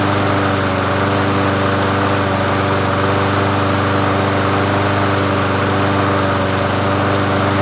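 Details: Murray 22-inch push mower 22526x92a, bought used, running after priming and reconnecting the spark plug; single-cylinder engine holds a steady, even beat with no misses or surging; running smoothly.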